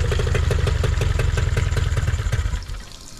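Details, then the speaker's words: Nissan 18 hp two-stroke outboard after correcting a carburetor setting that was too far open and turning the idle air mixture screw about an eighth turn: quick even putter with water splash, steady then easing off; smooth idle. "and so by tweaking that to the right settings by moving it about eighth of a turn and just finding the sweet spot where it was idling right I was able to adjust this to get the idle just right"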